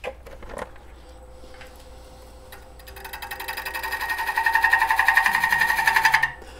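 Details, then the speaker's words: Twice-turned bowl from dried, roughed green wood: cutting noise clicks about four times a second while shaping the exterior, because the gouge bites only the high spot of the out-of-round bowl, which is then smoothed round. "you hear that clicking or that wobbling that means there's a high spot and low spot and we're just gonna go ahead and smooth that out right now"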